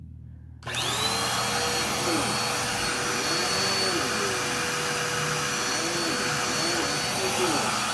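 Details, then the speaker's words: Dirt Devil Power Express basic upright running: steady whine with faint wobbling tone, strained; sounds a little clogged and has an obviously worn-out belt; needs new belt and possibly unclogging or just a filter clean, cause of clogged sound unconfirmed. "create sounds a little bit clogged and it very obviously has a worn out belt so I'll need to put a belt on that and possibly unclog it or maybe just clean the filter maybe that's why it sounds clogged who knows"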